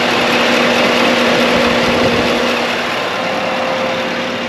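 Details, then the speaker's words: V8-swapped Chevrolet Colorado after fan repair so the radiator fan speeds up properly with AC on (previously too slow, AC cut out on high pressure): strong steady rush of air with faint hum, fan running flat out; radiator fan at full speed. "It's definitely moving more air, but it's not like, you know, cooking. It's not like bucking. Oh yeah, you can hear it now. That's a good sign."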